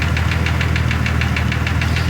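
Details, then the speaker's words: 2002 Jeep Grand Cherokee Laredo at idle with a spray-can cap held by vacuum over an open vacuum port at a broken brake-system part: steady low idle with fast even tick; runs differently when cap is removed; rough running, cause not pinned down. "it sounds totally different now because i got that it's just a cap off of a spray pan sitting on top of it the vacuum is holding it there"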